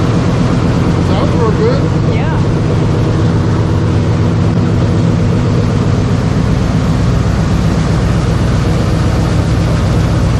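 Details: 1970 Chevy C10 with freshly installed 5.3L LS V8 (about 175k miles; new high-volume oil pump, timing chain and gears, rear main seal), first start before PCM programming; deep steady rumble, even beat, no knocks, misses or stumbles: normal idle.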